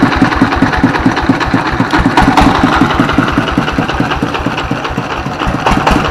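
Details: S1115 24 HP single-cylinder diesel that had thick black smoke and surging throttle; after service it runs normally, smoke is reduced and it is ready for work, with a steady, even idle thump and no misses or surging.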